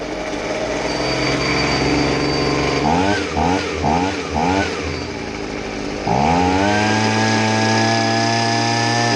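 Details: Stihl SH85C handheld blower after a tune-up and carburetor rebuild for a no-start/won't-run-right complaint: the engine takes several quick throttle blips cleanly, then holds a steady high rev without stumbling, running properly.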